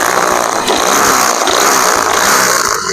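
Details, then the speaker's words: Yamaha Nmax scooter smooth at idle but revved high gives a harsh metallic rattle, traced to piston and cylinder scored by oil starvation. "digas ada suara bunyi ngeletek-ngeletek"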